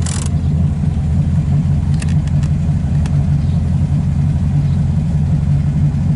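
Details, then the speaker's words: MGB-engined special, warmed after a drive, stopped on the brake without throttle: even, steady low idle with no stumbles or dips; it stays running where it previously tended to quit at stops, fan running. "hey it stayed running yeah stop like don't touch the accelerator and put the put the brake"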